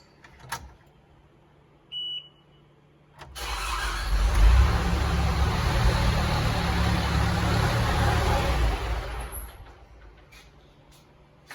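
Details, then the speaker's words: Diesel telehandler with fuel issue, after replacing the fuel pump (fuel from mechanical pump was low volume, white, milky and airy): even cranking about three to four turns a second, no firing; new pump made no change, cause unconfirmed. "it just cranks over now it doesn't even fire so it must be"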